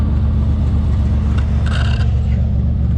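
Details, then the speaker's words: S10 Blazer 4.3 L V6 with possibly glasspack-type muffler, new spark plugs and wires checked; deep, uneven lumpy rumble while revving, cylinder miss caused by the faulty spider fuel injector, not the wires. "I put in spark plugs yesterday and checked all the wires and that's how I found out that it's not a it's not missing because the wires it's missing because of that fuel injector"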